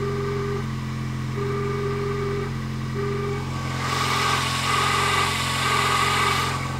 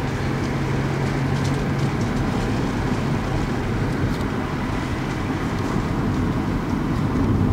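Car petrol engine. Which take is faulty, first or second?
first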